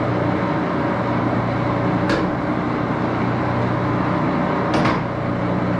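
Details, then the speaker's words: Axelson 14x30" heavy-duty gear head lathe run through its speeds, headstock filled with AW68 hydraulic oil (about SAE 20, won't reach 1127 rpm); steady headstock gear whine and hum with two brief shift clunks; normal running. "we'll go through the gears here see what that's going to be like it is a little bit of a noisy machine"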